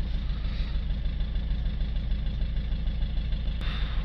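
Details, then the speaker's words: Citroën C4 Picasso 1.6 diesel with the bonnet open, at idle, code P0265 for injector 2 circuit short: uneven, lumpy, stumbling idle about three beats a second with the engine shaking; misfire from the faulty injector, worse on acceleration. "see that, but the engine is sort of shaking and it sounds like it's misfiring."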